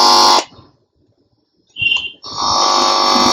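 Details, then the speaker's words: JVC 3-in-1 CD player being converted to Bluetooth: harsh buzzing hum in short bursts from the right speaker when the input wire is touched, showing the amplifier works. "Humming sound అంటారు దీన్ని. So మన యాంప్లిఫైర్ని check చేసుకోవడానికి just ఒక వైర్ని పట్టుకుంటే ఆ sound produce, అది amplifier."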